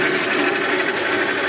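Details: 1960s American-made Craftsman horizontal bandsaw electric motor after restoration, start capacitor working once ground strap reconnected: short steady even hum, no stalling or buzzing; motor starts and runs normally, though possibly turning the wrong direction.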